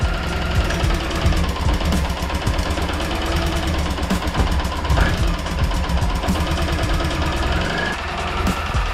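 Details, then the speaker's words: 2007 Suzuki Burgman 650 Executive scooter, restored and just topped up with oil: idles better, smooth with no more shaking, but quick light ticks ride steadily over the even idle; source of slight tick unknown. "that think's idoling better now nice and smooth no more shaking slight tick though"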